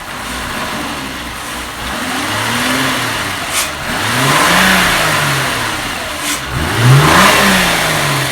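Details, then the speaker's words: 2001 VW Jetta 12-valve VR6 after intake manifold shifter rod replacement (fix for clacking around certain RPM): two smooth rev blips rise and fall cleanly with no clacking at mid revs; normal, healthy revving. "actually feels like it's running smoothly sounds good wait for it to warm up before i give it some reds though okay i'm gonna rev it up"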